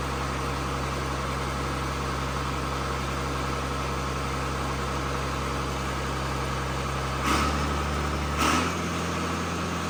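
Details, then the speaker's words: John Deere tractor with a swapped-in excavator diesel engine, first runs after the swap: steady low idle with an even drone, no knocks or clunks, two brief throttle blips near the end; healthy idle. "Gotta admit, that's just a cool feeling seeing it run, ain't it? It's the little things. Yeah, I see it. And it sounds. It sounds really good. It sounds really good."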